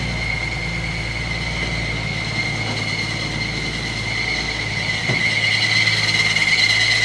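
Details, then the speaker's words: 1950 Chevy truck, long parked, first start after a fuel system replacement and carburettor cleaning. A steady high-pitched squeal sits over a smooth idle without letting up; alternator belt squeal, otherwise running great with no fuel leaks. "that the alternator squealing? Yeah. It's running great, other than the alternator squeal."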